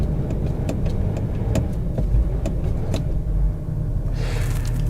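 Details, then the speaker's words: Luxury diesel SUV bought under £1,000, cold start after glow plugs: engine chugs unevenly with a low lumpy beat and irregular sharp knocks, very lumpy rough running with heavy smoke; cause unconfirmed. "oh oh we got life not much of it to be honest but but we do have a little bit of life this is very lumpy"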